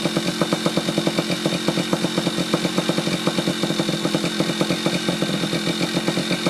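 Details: Yamaha Chappy two-stroke after HPI ignition install, stator had been shorting to the case, owner suspects too many grounds: crisp, even popping about four beats a second, steady ring-ding idle, no misses; now running, normal idle.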